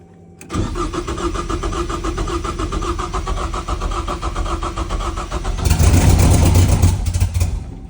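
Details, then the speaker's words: BMW E36 with a swapped 2.3L Ford EcoBoost engine of unknown condition, on first start with vacuum leaks and half-finished wiring; it catches after brief cranking, settles into an even idle, then a short rev blip; normal start and idle. "all right so we got the car to run that's cool um you know everything's kind of like half ass plugged in uh you know we just wanted to make sure the engine was good because I literally had no idea bought it off Facebook"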